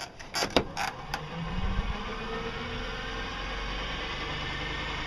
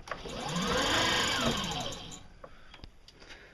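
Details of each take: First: Used electric motor salvaged from the garbage, reassembled after opening it up (brushes recently checked): a few sharp clicks at start-up, then steady, even whir with slight roughness from worn gears; motor running properly. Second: Electric motor whirs up and coasts down over about two seconds with a rough, rattly edge to the whine; abnormal motor noise, brushes recently checked and fine, owner suspects something stuck inside, not confirmed.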